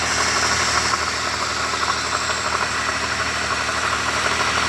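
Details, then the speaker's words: Toyota Wish at idle with the AC on, hood open: uneven knocking growl about three times a second over the engine; compressor still cools normally but its pulley bearing is worn loose. "Oke kap sudah terbuka dan mungkin teman-teman bisa mendengarkan suara ngorok dari prosesornya"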